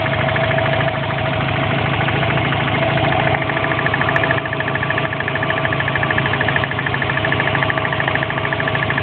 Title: Impreza engine knocking